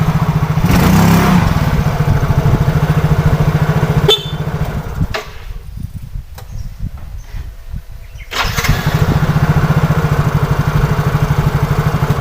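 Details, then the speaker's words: Yamaha Soul GT fuel-injected scooter after fixing fuel not reaching the injector and water in the tank, road test: even, steady single-cylinder beat easing off and picking up cleanly, no stumbling or misfire; hard starting and sputtering gone, normal running. "semuanya aman dan tidak ada susah hidup udah hilang dan berebut hilang"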